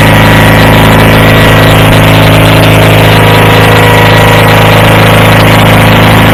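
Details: Approx. 1976 Sears GT18 tractor, Onan 18 HP twin, after carburetor cleaning and fuel pump rebuild, air cleaner off, choke off after a choked start. A loud, steady, even idle drone with no misses or knocks, normal idle.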